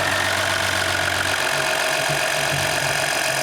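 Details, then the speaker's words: Freshly swapped 3.0L EcoDiesel in a 2019 RAM 1500, first start after engine replacement: steady, even diesel idle with light regular clatter and constant pitch, no misses or odd knocks, no leaks; healthy. "Beautiful. Quite a nice engine. We got lucky this time. Nothing leaking. All good."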